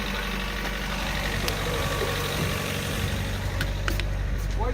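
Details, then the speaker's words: Mazda MX-3 first start-up, failed emissions test: engine ticks over evenly but noticeably fast, busy steady hum; idle too high, owner suspects slower idle might pass; high idle. "It just says that it's too much emission. Like it runs too accelerated. You can hear it."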